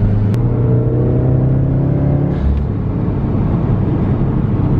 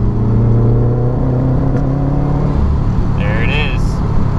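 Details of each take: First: Older Subaru after fixing cylinder three roughness and P0244, hard pull in third gear: engine note rises smoothly with no stumble, popping or bucking, misfire count zero; normal acceleration. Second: Older Subaru, check engine light P0244, third gear at about 3,500 rpm under hard pull: strong low drone with uneven, stumbling edge, roughness in cylinder with about three misfires seen on Accessport; misfire caused by loose coil pack.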